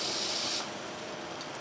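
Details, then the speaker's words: Grindmaster two-group espresso machine heating up, side reading 81 degrees: a steady hiss of steam that eases after a moment, normal venting as the boiler reaches pressure before the top pops up. "so the side is reading 81 degrees of course i know it's hotter than that oh yeah that thing's hot there we got steam coming out"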